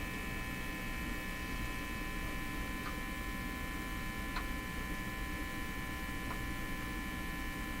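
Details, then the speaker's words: National HRO-60 receiver, tuning across the band with the selector left on phono: a constant low buzz with a steady hum tone and no stations behind it. Mains hum is getting into the audio; the owner wonders if it shows on the scope. Source not found. "Still not hearing anything, really. Just the buzz. What is that? Is that buzz on the scope too?"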